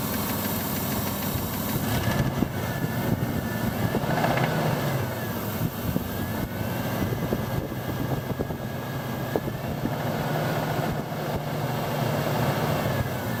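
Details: Mitsubishi Pajero petrol engine at idle after new rocker cover gaskets, spark plug well gaskets and an oil change: an irregular light knock, loudest at the driver-side rocker cover. The source is not yet diagnosed.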